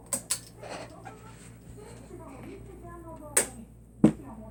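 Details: Encon ceiling fan: steady low electrical hum from the motor with a few sharp knocks from handling; buzzing, cause suspected, not confirmed.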